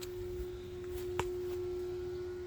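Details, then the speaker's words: Constant steady mid-pitched droning hum heard through a fence on Salisbury Road L19 on a Sunday evening, coming from the dock area; considered a statutory nuisance. "And through that fence, you can pick up a droning humming noise. That is a statutory nuisance."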